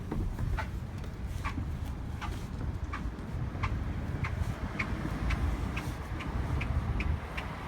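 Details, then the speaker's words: Car pulling out of parking in drive: short chirps about twice a second over road rumble, speeding up with car speed, stopping when stopped; owner suspects tires, source unconfirmed. "Vamos a ver si hace el ruido. Estoy frenando porque voy a salir del estacionamiento ahorita, del apartamento. Conforme acelero, se acelera."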